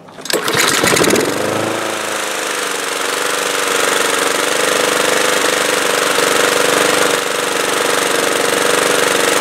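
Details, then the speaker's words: Honda mower engine that was surging, after carburetor cleaning and reassembly, spark plug cleaned, non-ethanol fuel, warmed up, air filter still off: starts and runs steadily with no rise and fall in speed; normal running, surging cured. "ok sounds good I'll get an air filter on it and then that's it"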